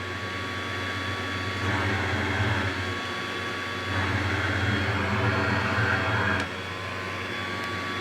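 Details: Cheap electric supercharger bench test with outlet plugged while running: steady motor whine and air rush whose tone barely changes when blocked; no load change, blower builds no pressure.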